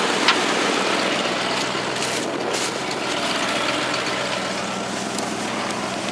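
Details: Ford F-150 engine at a steady, even idle with no hiss or hunting, outdoors, after replacing the leaking brake booster check valve that caused a vacuum leak; much better.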